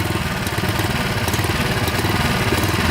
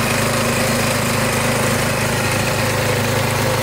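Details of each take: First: Restored saw engine restarted and held at low rpm with the blade stopped and the clutch working: low, lumpy putter of about two uneven beats per second. It keeps running but runs a little rough at low rpm. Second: Warmed-up small engine, started with choke, oil checked fairly clean: steady even putter, constant low note, no knocks or surging; it smooths out and runs really good, slight smoke at first start; normal idle.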